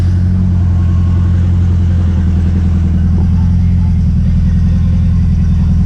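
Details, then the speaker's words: Turbo Honda S2000 on stock internals, warm idle after intake manifold refit: steady drone with faint quick rattle apparently from the top end; owner suspects tensioner and plans to replace it, cause not confirmed. "so you could hear it in here a little bit better and yeah a little rattle so yeah it's more or less than noise a little rattle so gonna swap out that tensioner see if that fixes the issue"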